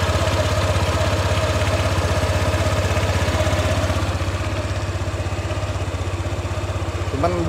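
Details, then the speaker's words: Honda PCX160 CBS scooter after one year of use, idling: even pulsing beat about three per second with a rough low rumble underneath; the owner thinks replacing a part might smooth it, cause unconfirmed. "bunyi gluduk-gluduk nya masih masih kasar ya kalau diganti mungkin udah halus"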